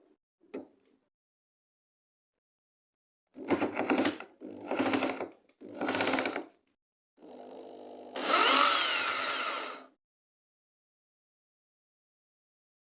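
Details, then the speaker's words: Makita 6413 drill tested after repair (new 627 bearing fitted, carbon brushes changed): three short even bursts of motor whine, then a longer steady run climbing in pitch, no grinding or rattle; the drill runs normally. "I'm going to test this drill I already put [Music] Power now this Dr good working"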